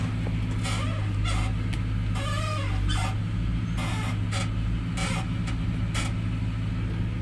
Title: Horrible creaking noise crown Vic